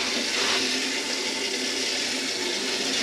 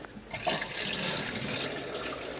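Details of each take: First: Concealed toilet cistern on a bathroom remodel, water just turned on to fill and test: steady, even hiss of running water that never shuts off, passing a little then a lot; fill valve not seated, letting water through into the pan. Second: Concealed toilet cistern on a bathroom remodel, original valve refitted after it was thought not to be pushing fully in: steady, even rushing hiss of water filling the cistern, no squeal or chatter; it seems no longer to be passing and fills normally.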